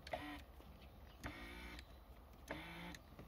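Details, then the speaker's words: 1992 Mercedes-Benz 190E W201, 2.0 L 122 hp injection, 200,000 km: original right power mirror motor, working again after the unplugged switch underneath was reconnected, gives short smooth half-second whirring bursts as the mirror moves; healthy. "ben voilà, on entend le moteur tourner. Donc j'ai acheté un rétro pour rien, ça arrive, c'est pas grave. Le plus important c'est que ça marche,"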